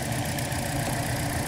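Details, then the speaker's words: 2012 Toyota Corolla 4-cylinder, rough running with P0300 misfire: lumpy idle with uneven stumble; unplugging coils shows little rpm change on cylinder three, a failed ignition coil, replaced along with all four spark plugs. "okay just reconnected my mic and our misfire persists and there it is barely any rpm change"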